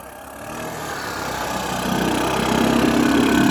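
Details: 1984 Honda ATC 200M three-wheeler barn find, revived after 30 years and parts replacement, needs fine tuning; single-cylinder pulls up smoothly, pitch and loudness climbing steadily under throttle, no misses or knocks, healthy.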